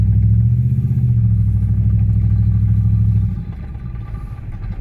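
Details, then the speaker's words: Audi S4 on its first drive after repairs, with a check engine light on. The owner is unsure whether the transmission is slipping or the brakes are locked up. A loud, deep droning exhaust rumble drops off as the throttle closes because the downpipe fell off. "up there goes the you know you hear that the down pipe fell"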